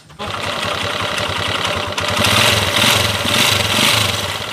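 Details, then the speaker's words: Second TMX155 single-cylinder engine, which previously ran with cricket-like and clacker-like noises: an uneven idle a bit over two beats a second with a chirping clatter on top, described as a mix of noises, cause not pinned. "Dati to kuliglig at lato-lato ang andar. Ngayon pakinggan natin."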